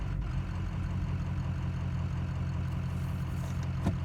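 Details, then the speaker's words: Warm Ford 6.0 Powerstroke diesel idling with 155 cc plugged spill port injectors without matching tune; idle rises and falls unevenly, raising idle rpm doesn't help, later fixed by tuning: rough loping idle. "hello everyone this is what 155 plugged spill port injectors sound like when they don't have the proper tuned at idle"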